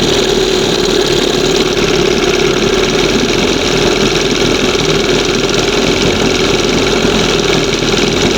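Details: 1971 Johnson 20 hp outboard, several carbs tried, current one with two-hole butterfly: fast steady buzz won't drop; high idle, air/fuel leak, reeds or pump diaphragm suspected.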